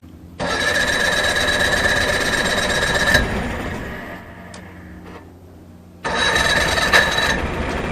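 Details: 1989 Johnson 40 HP VRO outboard at idle, buzzes then sags and fades after about three seconds before recovering; unsteady idle from misadjusted carb linkage, before carb, float and reed plate work.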